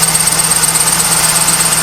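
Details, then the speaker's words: 1998 Pontiac Trans Am at idle after starting: thin fluttering high chirp lasting about 10 minutes, heard throughout the garage; dry-rotted A/C belt slipping on its pulley (pulleys can also cause it). "I'm not sure what it is, but it's really fucking annoying. And it does this for a good 10 minutes. I'm not sure if it's the belt."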